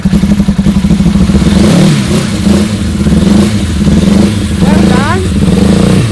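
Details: Suzuki GSX 600 motorcycle project at its first run after a new switch was fitted. Lumpy, uneven exhaust beat with stumbling pulses as the throttle is blipped, as if a cylinder isn't firing. It smoked a bit, which the owner suspects is WD-40 on the loosened manifold bolts.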